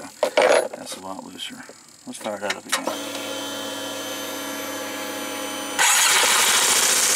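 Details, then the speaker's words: 2005 Yamaha Majesty YP400 scooter, started on the kickstand after an oil and filter change to verify oil pressure: brief starter whir, an immediate catch, then a smooth, steady idle. Normal start. "this thing wasn't even attempt start can you hear that fuel pong good to go it starter that's what you're looking for"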